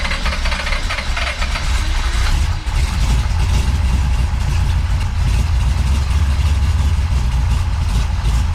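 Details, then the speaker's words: Big-block Chevy with big cam and rebuilt Holley 750 double pumper, holes drilled in the throttle butterflies: deep, lumpy, loping idle that never steadies; rough idle, still not right, blamed on cam overlap causing low vacuum. "okay so the thing is when you got a big cam with a lot of valve overlap um your engine doesn't create the vacuum that it should so the air doesn't flow"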